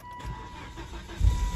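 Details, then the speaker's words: 2004 Volvo XC70 after a significant mechanical failure, check-engine and ABS lights long on. It starts on the first crank and runs smoothly under a door-open chime. Normal engine start. "So the car runs great. Started first crank right there."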